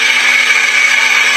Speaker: La pompe de direction assistée fait du bruit.